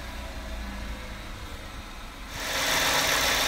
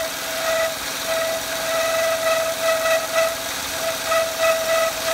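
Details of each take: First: Peugeot 107 (Aygo/C1) after tightening the auxiliary drive belt that had been squeaking and whining: even idle hum with no belt squeal left, louder hiss near the end; belt quiet and properly tensioned. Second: Peugeot 107 (C1/Aygo) engine running: steady high squeak continuously while belt turns, not a loose-belt scream, belt checked not loose; auxiliary drive belt squeak.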